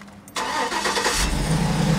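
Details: V8 after replacing driver-side exhaust manifold studs: a quick clean start settling into a deep, steady idle. The earlier tinny manifold rattle is gone; the engine sounds healthy.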